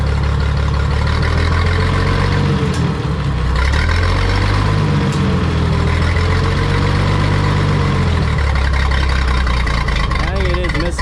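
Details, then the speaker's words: 1962 Minneapolis Moline G704 tractor, revived after years unused, in fifth gear lugging under load: deep labouring thump with uneven lumpy beat, possibly a slight miss on one cylinder; cause not confirmed. "So, put it in gear. Put it like fifth gear and lug it. Can't tell if it's got maybe a slight mess or"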